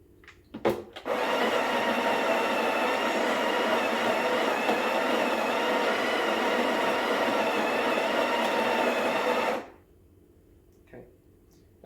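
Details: Breville BES870 built-in grinder, grind set at three o'clock / number one or two, grinding a double-shot dose into the portafilter (reaching 17.9 g). About eight seconds of steady, high-pitched whir with clean start and stop; normal.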